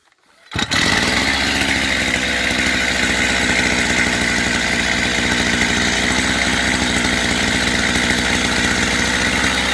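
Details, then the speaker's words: Chinese brush cutter two-stroke during carburetor adjustment, high-speed screw set to about 9,000 rpm by ear; starts and holds a high steady full-throttle buzz with no surging or sagging; normal high-speed running. "Выставлять около 9.000 оборотов, закручивая или откручивая данный винт."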